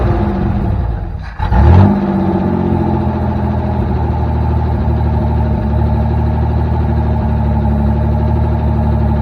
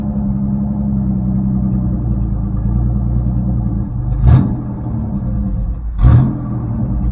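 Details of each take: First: 1984 Chevrolet S10 carbureted engine sags nearly to stalling, caught with a quick rev, then hunts unevenly and won't idle with choke off; owner suspects a vacuum leak or misadjusted throttle screw. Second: 1984 Chevrolet S10 with carbureted V6, choke off and electronic choke unhooked: low, steady rumble at an even idle with two brief surges, idling perfectly.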